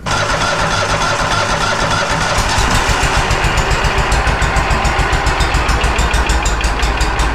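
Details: Walker Superbee 52in rear-discharge mower, parked since April, jump-started on dead battery, fuel primed: rough uneven cranking, catches about two seconds in and chugs irregularly; hard starting, suspected fuel and ignition issues.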